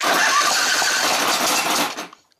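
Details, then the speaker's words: Exmark Viking mower engine on full choke and full throttle: catches with a rough popping rush for about two seconds, then dies; owner ruled out valves, governor, spark and carburetor, cause unknown; starts then dies. "so what it wants to do it just wants to pop up you know i can keep it running if i keep starting it you know"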